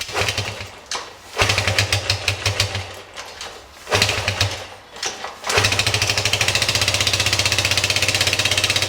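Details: 1973 Honda CB100 with weak spark, hard starting and no idle, after spark plug replacement gapped at about 0.25: uneven single revs surging and dipping, then a fast, fairly steady beat, still running rough. Cause suspected, not confirmed; coil, wire and points are next.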